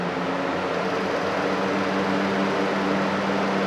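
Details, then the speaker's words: DIY Arduino-controlled shop air cleaner fan switched from low to high speed via relays: steady, even whooshing hum with constant low tone, no rattle or wobble; normal high-speed fan running. "so that's a pretty quiet hum that's clearly low-speed now I'll press the up which would be high-speed and there goes [Music]"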